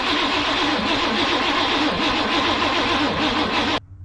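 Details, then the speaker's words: 1992 Chevy Blazer with throttle body injection that sat 12–15 years: grinding crank for nearly four seconds with rising and falling starter rhythm, briefly fires; slow cranking from a battery said to be completely toast. "This battery's completely toast, so we'll have to come back, and that's for the subs. We'll have to come back and maybe change that battery out, but that's good. She fired, that's what's important."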